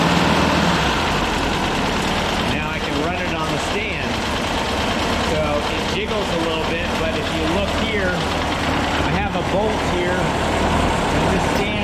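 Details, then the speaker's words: Air-cooled VW flat-four on a starter stand with Alex control box, gauges and non-crushable exhaust tube, not yet tuned since removal from a 1966 split bus: loose, uneven, ragged idle; rough running that needs a tune-up. "here it's pretty solid so it's not tuned up since I uh got it all out of the bus and up on the stand so I'm going to tune it get everything"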